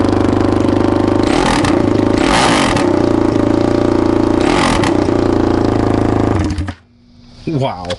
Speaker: Muffler's off I wonder what this thing sounds like